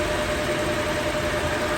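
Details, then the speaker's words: Toyota Revo, idling with AC just switched on before repair: constant rough whirring with a thin steady tone. The mechanic calls it an internal mechanical noise in the compressor from being dried of oil. "Sige. Aircon. Ayonow. Maingay nga. Oo. Loob na yan. Mechanical yan."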